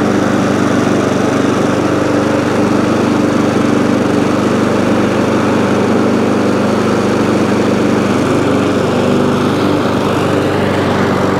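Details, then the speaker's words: ATCO lawnmower, about 21-inch, Briggs & Stratton engine, after cleaning corroded HT lead: steady even buzz at constant speed, no misses; runs, though it stops when drive released and throttle jammed, drive cable suspected worn or rusty. "so so it runs um however drive drive works but when you take the drive off it stops"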